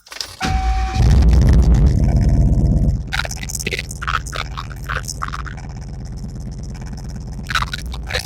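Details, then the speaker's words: 1996–2004 Mustang GT 4.6 V8, after replacing crankshaft position sensor to cure hard start needing three or four cranks, still needs mass airflow sensor: brief half-second crank, catches immediately and settles into steady idle. "i'm thinking it's going to start up the first go around now and then i'm going to tell you what i did to fix this"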